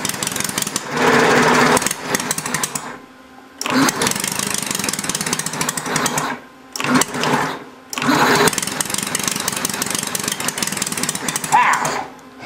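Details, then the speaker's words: Homemade inline four-cylinder Briggs engine with a temporary throttle lacking a return spring: ragged bursts of firing, catching then dying, while the carburetor mixture needle is tuned; tries to start but won't run. "it sound like it's going to start you just got to figure out the right mixture"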